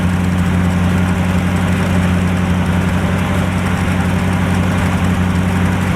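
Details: 1949 Chevrolet engine restarted after long storage with new fuel and battery, idling low and steady with an even beat and no knocks while warming up; it smokes and the owner is monitoring it, hoping it clears; the thermostat later opens and coolant circulates, but oil pressure can't be checked.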